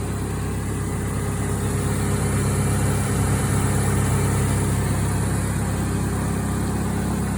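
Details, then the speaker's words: 1992 Ford Ranger 2.3 four-cylinder idling after new spark plugs, ignition coil, plug wires, belt, tensioner pulley and thermostat housing: smooth steady low hum with no misses or knocks, starting and running smoother than ever. "Sounds good. I don't think it started that smooth ever. Or ran this smooth ever. Oh, it's alive and it sounds better than it ever has."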